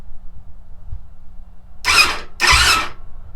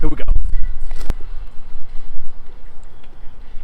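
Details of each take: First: YFZ450/WR dirt bike hybrid with a custom-joined wiring harness, key on, in neutral, before starting fluid is sprayed: two short bursts of starter whir as the engine turns over without firing; starter circuit working. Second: YFZ450/WR hybrid single-cylinder bike, first start after building a custom wiring harness, catches and runs with sharp, uneven pops every few tenths of a second; it sounds like backfiring, and the owner suspects a lean carburetor needing adjustment.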